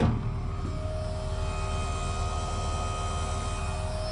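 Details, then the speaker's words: First-gen truck, decompressed, powered by a 30-foot jumper cable with a weak battery: steady electric hum with a faint constant tone once the cab has power; the fuel pump is running normally, radio also on. "Oh yeah, you hear that? Oh, there's a radio's going, everything's going. Hear that pump? Pumping."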